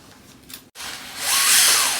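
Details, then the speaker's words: Axial Capra RC crawler on a LiPo setting during a pre-run check. The electric motor whines up to a high hiss with a faint rising and falling scrape over it. Rubbing is heard at the wheel/portal, to be checked later. "so i can hear some rubbing here"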